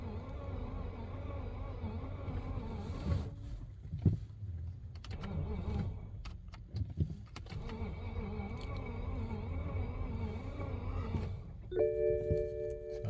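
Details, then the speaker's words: BMW 528i that wouldn't start, battery power now restored and lights working: wavering electric whir, buzzing and a few clicks each time start is pressed, with no cranking or firing; no-start noise. "Put the key in. Put the key in, I get that. Put my phone brake. I got this sound."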